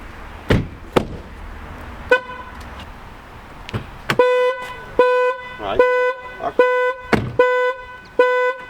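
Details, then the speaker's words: Nissan with the factory alarm switched from Original to On by coding, windows open and doors closed. After a few door thumps the horn blares in short, evenly spaced toots about twice a second. The anti-theft alarm is sounding. "Let's see, if this makes the car scream when someone tries to break into it. It says Success. So, let's try if this car is actually going to scream."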